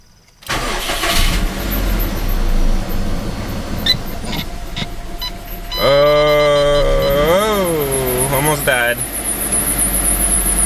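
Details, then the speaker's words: Subaru WRX at startup and idle after switching the ECU map to stock for smog inspection: engine catches and settles, then a loud high squeal wavers up and down for a few seconds over the idle; slipping AC belt. "my good old squeaky AC belt or thanks my pirate string bow"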